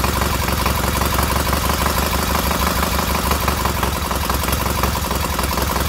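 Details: Newly rebuilt K750 twin engine idling after ignition fault fixed; steady low putter, even beat, both cylinders firing and warming equally, no missing.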